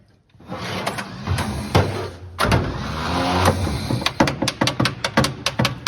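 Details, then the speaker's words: 1954 Chevrolet 3100 truck, 235 straight six parked since 1978, on jump box with ether and fuel in: slow, labouring starter, possibly tired, with uneven bursts then quick clicks about two a second, never catches; crank no start, no spark suspected. "let's check our spark before we uh burn burn our starter up all the way yep cuz we're getting fuel in there and we got ether it should go something should go"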